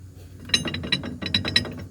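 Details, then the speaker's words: Cub Cadet 2146 garden tractor that wouldn't move: irregular metallic clinks and loose rattling in quick bursts over a faint low hum; worn drive shaft bushings let the shaft rattle, and the bushings are to be replaced. "The drive shaft bushings are gone. Which means the drive shaft's just rattling around in there."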